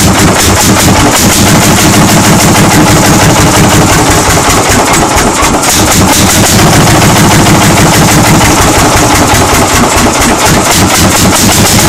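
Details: 1940 Lanz Bulldog single-cylinder hot-bulb tractor engine, first start after 40 years, recorded on a phone: loud, steady, sharp popping beats with no stalling or misses, so it runs properly.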